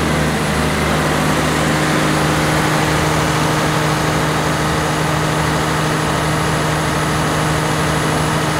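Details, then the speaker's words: 1106 diesel generator under 100% load after the injection pump droop was adjusted to cure hunting and unstable frequency. An even drone with constant pitch and no rise and fall; the governor holds speed without hunting. "now as you can see how stable our engine is and even if we put the 100 load it's still in a good condition"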